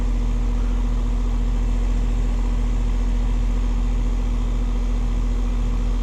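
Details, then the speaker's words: AC condenser unit after replacing failed capacitor and cleaning coils, test run at about 59°F: smooth, constant low hum from compressor and fan, no clicking or buzzing; running properly. "So, we got the capacitor replaced. We got the coils cleaned out."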